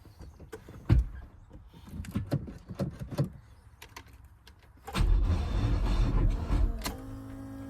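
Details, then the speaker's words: Pontiac Fiero that had been driven to a car show; a few weak clicks, then a slow, labored crank for a couple of seconds that stops without catching. The battery tested good, so the starter (or a loose connection) is suspected. "it would crank really slow and then just stop and it will not crank over anymore and um the clip you saw in the beginning was me trying to start it for the first time since I got home and um yeah it's not working at all"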